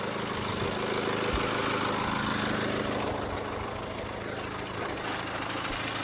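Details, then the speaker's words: 2013 Mini Paceman Cooper D diesel with particle filter and glow plug 4 fault codes, idling, heard under the hood with hood down: light, fairly regular rattle about three times a second over the clatter; source not pinned down. "lems and actually I can hear like a rattle off this thing so I'll let you hear it underneath the hood you actually hear that better with the hood down"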